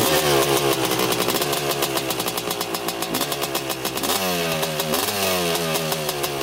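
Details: 1985 Honda CR250 two-stroke dirt bike on a quick test ride after cleanup, previously breaking up around three-quarter throttle: crisp revs rising and falling through quick sweeps, clean pickup with no bogging or spitting; running great so far.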